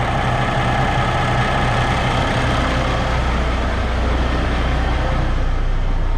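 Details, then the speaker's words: 2022 Kenworth W990 log truck, Cummins X-15 diesel at about 19,000 miles, idling right after fuel filter change, before bumping idle up: deep, even low rumble with no miss, hunting or knock; normal healthy idle. "Maybe we'll bump the idle up here just for a second, and yeah, it seems to be going okay, so I think we're good."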